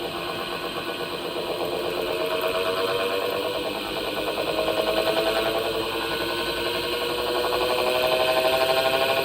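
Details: Panasonic NA-SD series washing machine (2025 model): a rhythmic churning whirr about two or three beats a second with a faint wavering whistle throughout; abnormal noise, belt coming off or motor fault suspected, not confirmed.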